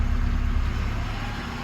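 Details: 2008-2014 Mercedes C300 W204, 722.9 7G transmission that would not shift; test with a different valve body/conductor plate connected, idle dips slightly as gear engages smoothly without clunk; normal engagement.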